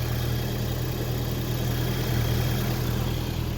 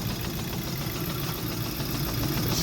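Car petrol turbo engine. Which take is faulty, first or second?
second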